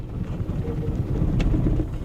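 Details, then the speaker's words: Salvage diesel at auction on a cold, wet day, started on a jump pack with the throttle feathered. It catches, stumbles unevenly for seconds and stalls. A plugged diesel exhaust filter is suspected. Engine stalling, cause unclear. "ah it started n it won't run it tries to start then it just dies"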